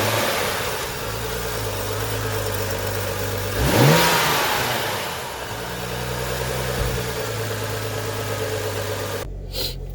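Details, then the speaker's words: BMW E90 N55 six-cylinder after replacing the belts and pulleys: starts and revs up smoothly then settles, with an even tone and no rattle or chirp from the belt drive; healthy. "sounds good there's no rattle let's take a look oh good there's no rattling"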